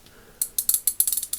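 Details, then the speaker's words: Ace Hardware Professional 3/8-inch drive ratchet: sharp, uneven clicks, some bunched and some spaced out, with a fumbling, sliding feel. It skips on flattened gear teeth and a damaged pawl, likely from excessive torque. "You hear it's clicking good, and then it's clicking good. Right there. It's like fumbling. Right there, fumbling. Right there, you can hear it like kind of, it sounds almost sliding."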